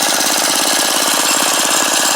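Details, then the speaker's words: Small lawn mower/go-kart engine idling after carburetor repair (new carburetor, fresh fuel, choked): fast, even single-cylinder putter holding a steady beat with no misses or surging; normal idle speed, most sensitive adjustment at idle. "this is simply your idle speed you want to keep it so that's usually pretty good"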